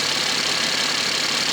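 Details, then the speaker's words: Mercedes-Benz W205 C450 AMG, M276 V6, idling for the first time in a long while after cooling system and wiring loom repairs; some smoke possibly from stray oil, otherwise running smooth. Steady, even hiss and hum with no knocks or misses; normal idle. "there it is guys running for the first time so far so good"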